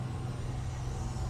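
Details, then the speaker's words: Honda EU3000iS inverter generator in eco mode, idling and plugged into a 30 amp RV camper with only the lights on: a low, steady hum at an even speed with no surging or knocking, normal idle. "It's a big generator. It's a big generator. Right now I have it set on eco mode and it's idling and it's plugged in."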